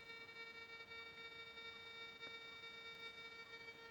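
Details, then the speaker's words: Monero Lejyoner induction balance metal detector, switched on with the coil connected, gives a steady buzzy bee-like electronic hum with stacked tones; false metal signal because the coil is near the operator's body. "başlık bağlı cihazdan arı vızıltısı gibi bir ses geliyor başlık bana yaklaştığı için metal algılaması"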